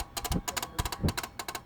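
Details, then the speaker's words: Vehicle with the headlight switch turned on: rapid bursts of light ticking, several quick clicks repeating every fraction of a second, heard only on the driver's side. It doesn't sound like an electrical short; source unclear. "It sounds kind of weird. So that's what the headlight switch turned on."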